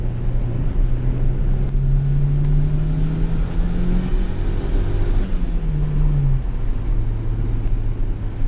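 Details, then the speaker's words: Turbo GSR-swapped Honda Civic EG hatchback on boost during tuning; the engine is smoking and needs a rebuild. A steady drone rises under boost, then coughs and sags before recovering: probably spark breakup. "seems like it's coughing it's probably smirk breakup the exhaust sounds like it's fighting itself or the motor just sounds like it's fightin to build rpm"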